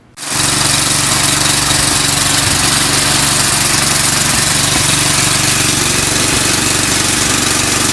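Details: Eaton Viking tracked snow blower after new carb, fuel lines, belts and track repair/adjustment, run outside: small engine starts and holds a steady, even roar with no track rubbing or scraping against the chute; running normally.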